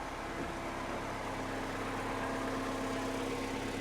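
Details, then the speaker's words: Mini Cooper R56 after the temperature sensor was replaced, warming up with temperature climbing while the throttle is blipped: a quiet, even idle with no misfire or hunting. Normal idle. "yeah when i was kind of like just flipping the throttle was was kind of misfiring and it's definitely behaving itself now temperature climbing as it should that sounds good to me"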